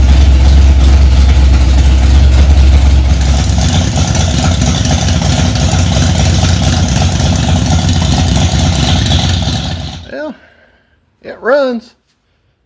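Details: 1965 Ford Mustang, freshly rebuilt 289 small-block V8, first start after priming to about 85 psi oil pressure: loud lumpy idle with choppy low rumble from a big cam, holding steady; runs fine.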